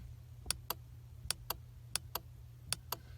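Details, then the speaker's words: 2010 Chevy Impala trunk-release relay behind the passenger-side panel, clicking on and off crisply four times over a low hum as the trunk button is pressed; relay works, fuse nearby is next to check. "Right in here, on this side of the passenger thing, in there is a relay. I'll press it, you'll hear it."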